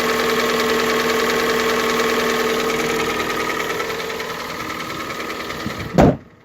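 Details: Hyundai/Kia G4NA engine on cold start at idle: light, uneven knock riding over the engine note until shut off; knock when cold, cause not pinned down.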